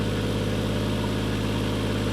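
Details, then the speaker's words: Toyota Mark II JZX110 1JZ-GTE, first start after refurbished turbo refit; steady idle with VVT-i ticking and a sharp rapid chuff on each firing pulse; exhaust blowing badly. "That tick-in is the VVTi. Exhaust is blowing badly,"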